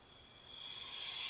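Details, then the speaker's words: Audi B6 2.7T with 034 Motorsports Stage 3 turbo kit, boost leak test via Y-pipe with regulated air: steady high hiss rising with pressure, air escaping at 034 inlet pipe O-ring seal at turbo; O-ring to be replaced. "so as you can hear I'm losing a lot of air through that O-ring seal"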